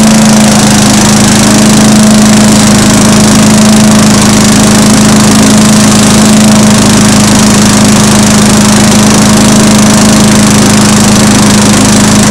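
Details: Mower engine after valve lapping and reassembly, primed twice: better compression, starts on one pull instead of 3–4; steady even drone at constant speed, no misses or surging, no raw fuel smell; normal running.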